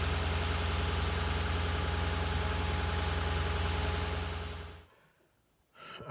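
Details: 2007 Lexus LS460L V8 after spark plug and valve cover gasket replacement: smooth, steady idle with even low rumble, no ticks or misses; engine running healthy.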